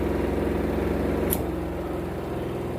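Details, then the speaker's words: Sharp EST85CL washing machine spin dryer after repair of loud "gluduk" knocking (worn plastic joint lining suspected; weak springs, soft seal or uneven load possible), running loaded with lid open: smooth steady motor hum, no knocking. "walaupun tidak ditutup dulu nyaman aturan penting juga terkenal tangannya dan tidak ada lagi kan bunyi klotok-klotok"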